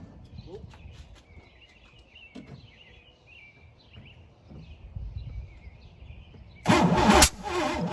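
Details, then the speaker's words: Pontiac Fiero GT, non-running, after spark plugs refitted, throttle open with starting spray and battery charger: quiet outdoors, then one loud half-second cough on the first attempt, possibly out the intake; sticky valves suspected, not confirmed. "What was that? Oh, did it cough out the intake? I don't see a spark plug blown out, so I'm gonna say that's a good sign."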